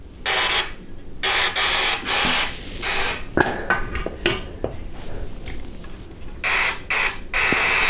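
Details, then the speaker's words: CRT SS9900 radio with top off: audio plays in bursts and cuts out every second or so, caused by a fractured speaker connector on the motherboard; intermittent audio dropout. "I can hear it cutting out"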